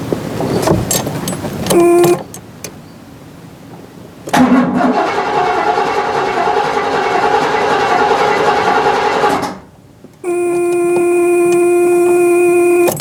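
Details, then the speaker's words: 1975 Cadillac Fleetwood unrun since 1998, first crank on a freshly connected battery: steady even cranking for several seconds with no binding or hard stop; engine turns freely, not seized. "holy well i guess that confirms that the motor's not locked up you can't kill a cadillac engine"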